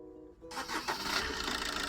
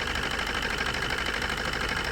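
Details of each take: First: Maruti Suzuki new Swift diesel, previously misfiring with abnormal vibration at idle and start, after injector and ECM connections reconnected: starts at once and settles to a steady, even diesel clatter with no vibration; normal start. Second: Maruti Suzuki new Swift diesel with abnormal vibration and low power: rough, lumpy, shaking idle; injector disconnect test shows two cylinders dead because the ECM sends no pulse to their injectors.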